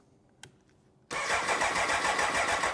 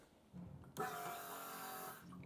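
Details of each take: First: 1993 BMW K100, 75,000 miles: three cranking bursts of about two seconds, turning over roughly three times a second, never catching; no fuel pump priming heard. Crank no start, fuel pump later replaced. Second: 1993 BMW K100, 75,000 miles, after installing a new fuel pump and gas cap gasket: short steady electric buzz of about a second at key-on, then stops; pump priming normally.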